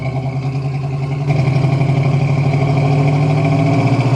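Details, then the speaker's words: 1965 Pontiac GTO V8 on a test drive under acceleration: rumble with a rapid puffing tick rising with revs; exhaust leak on the driver side, likely at the manifold gasket. "I will say there is definitely an exhaust leak uh sounds like it's coming from the driver side over here probably the exhaust Don it coming off the manifold"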